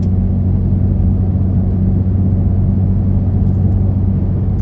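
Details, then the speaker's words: Toyota Tacoma cabin at about 65 mph after fitting roof rack with wind deflector and front light bar: steady low road rumble and tire roar, no whistle heard earlier without deflector; normal highway noise. "don't really hear anything different than when we were at 45 uh 43 other than the tires are louder I suppose"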